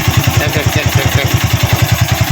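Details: Honda Wave 110i single-cylinder idling: light metallic clatter from the cylinder head, a slack cam chain from a failed tensioner, before the top end was taken apart.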